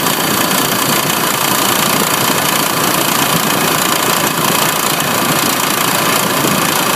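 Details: Light fast irregular tick, about three per second, at idle on a 1994 Honda Passport; owner suspects the timing belt tensioner and plans to replace it to see if the clicking stops.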